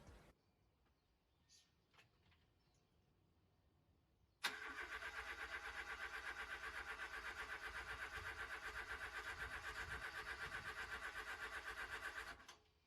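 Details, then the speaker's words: 1989 MK4 Ford Escort, not started in almost a year, cold start with no choke: short crank, fires straight up, holds smooth even idle about four beats a second; normal cold start and idle. "and incredibly as you can see he ran no choke needed just idle perfectly and it hasn't been started in almost a year i'd say which is a pretty incredible"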